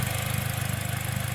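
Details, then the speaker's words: 2009 Pontiac Vibe 1.8L at idle after fitting a new alternator and new tight belt; the original whine came from the alternator. Steady, smooth, even idle with no squeal or screech, belt drive sounding healthy. No more screaming noise. "Alright, no more violent screaming noise. So it's not screeching and screaming at me anymore, which is pretty awesome."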